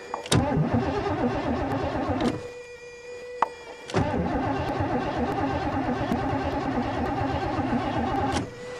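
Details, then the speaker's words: 1986 Mercury Marquis winter cold start, throttle not stuck: starter grinds through several long cranking bursts, engine never settles into a run; fuel pump not heard priming, relay suspected. "please what the hell is that what the hell i don't hear the fuel pump"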